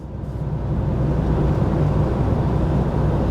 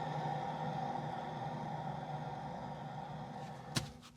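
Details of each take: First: VW T5.1 Transporter whose owner reported a noise rising with speed; CV boot already fixed. Road test at 40–50: steady low road rumble with no rising hum or growl, so this wheel bearing is quiet; the rear wheel bearing was later found noisy. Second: VW T5.1 Transporter with noise that grows with road speed, rear wheel spun by hand with pads removed: low rough even grumble with faint steady hum as it freewheels and slows; worn rear wheel bearing.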